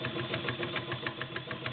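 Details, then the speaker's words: White/Domestic model 6478 cam sewing machine, 1.3 amp motor, size 16 needle sewing through 5–6 layers of denim: quick, even clatter about six strokes a second with a sharp click each pass, caused by a big burr on the needle tip. "Yeah, the needle's burred. That's what you hear. We're going to address that."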